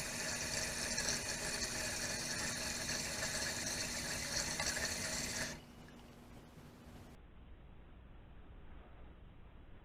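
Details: Toilet (commode) tank heard from another room: water hisses into the tank for several seconds, then shuts off, refilling by itself because the worn flapper leaks and the float drops; a ghost flush, fixed by replacing the flapper.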